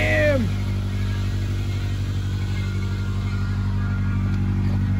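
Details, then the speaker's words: 2006 Acura RSX with swapped JDM K20 engine from a Honda Stream, just started, unchanged plugs, some smoke burning off: steady idle with a faint uneven tick about four times a second over the exhaust drone; abnormal noise of unknown origin. "I don't know what that sound is that doesn't sound too good"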